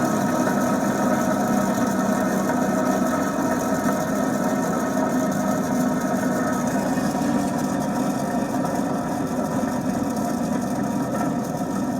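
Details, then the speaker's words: Lada 2107 rear-wheel-drive car, rear hub spinning freely, partly disassembled: steady gritty rumbling hum from worn tapered wheel bearings whose grease has dried out or washed out with water. "вот такой звук происходит когда у нас высыхает или вымывает водой и смазку из подшипника"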